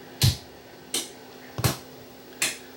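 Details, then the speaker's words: Yamaha EM100 mixer amplifier brought in for service, at power-on: sharp single pops with quiet gaps and a faint low hum that then fades away; cause not yet known. "Okay, now it it popped once, but we have [Music] Okay, it hummed there initially when I turned it on, but the the hum seems to have gone away."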